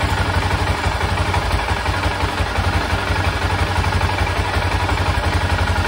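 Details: 1996 BMW F650 Funduro single after carburettor rebuild, warming: strong even thump around 1,500 rpm holding steady without stumbling or cutting out; carburettor now fuelling properly, previously cut out under throttle.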